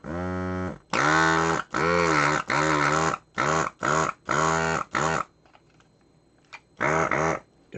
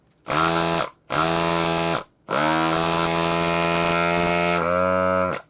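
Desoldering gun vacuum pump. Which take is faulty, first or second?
first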